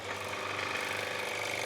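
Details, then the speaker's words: Dump-found airless high-pressure sprayer after motor start capacitor repair, first test drawing water: brisk even motor whir with fast steady pumping chatter, no stalling; hose building pressure, normal pump operation. "oh awesome oh look at the hose go the hose is building up some serious pressure by the looks of things we got pressure"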